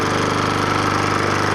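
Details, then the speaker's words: Troy-Bilt Professional pressure washer, first start after the repair: small single-cylinder engine with a quick, even pulse at steady speed, no knocks or rattles. Runs smooth and healthy. "Wow I don't believe it runs I can't believe I fixed that thing run I didn't think we'll run Wow listen how good it sounds"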